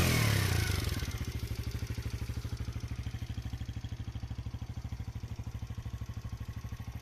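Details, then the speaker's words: Kuba X Boss motorcycle after a light throttle blip: settles into an even, steady putter of about three beats a second; a clean, healthy idle. "Evet hafif bir gaz vermiştim motorumuzun sesi böyle arkadaşlar"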